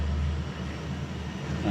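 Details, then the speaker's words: Two-door fridge not cooling after compressor stopped from power outage, after repair: steady low hum, even drone, no knocking; compressor running normally, current dropped from 3–4 A to about 0.9 A. "Nah, ini sudah jalan. Ini kompresornya sudah jalan. Di sini 1 ampere, 0,9 sudah."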